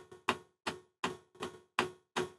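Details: Webasto water coolant heater on a DIY replacement controller ECU, startup with glow plug on, water pump on, fan at lowest setting about 15: sharp even ticks about 2.6 per second; the fuel dosing pump is pulsing normally.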